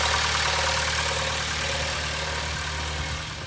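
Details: 2011 Honda Civic with drive belt removed after a suspected belt tensioner noise: smooth, steady idle in Drive, even low hum, no ticking, rattle or chirp; engine itself healthy, noise came from belt tensioner.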